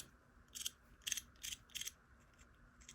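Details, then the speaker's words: Mesa Dual Rectifier Rev G amp stuck on red channel, channel switch after contact cleaner fluid: four short, crisp but scratchy, rasping clicks about half a second apart; switch still feels gritty, suggesting dirty or worn contacts. "It feels a little gritty still. It's got a gritty feel to it, man."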